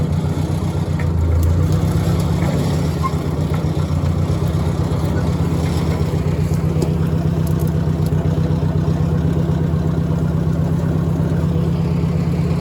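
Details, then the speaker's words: Ford Workmaster 641 tractor after carb rebuild, timing, points, condenser and plugs tune-up, low idle in first gear climbing a hill: slow even thumping about four beats a second, steady under load; healthy purr. "Hopefully on camera you can pick up that nice purr that we've got. Running at low idle, we're just easy to keep climbing up this hill."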